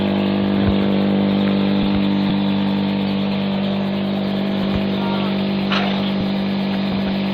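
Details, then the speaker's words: Real BR Class 74 electro-diesel departing Eastleigh on electric power, 1974 recording: steady low hum settling with even light pulses as booster comes to life before moving off. Normal booster start-up. "We hear the loco starting up and the booster comes to life before the loco moves off."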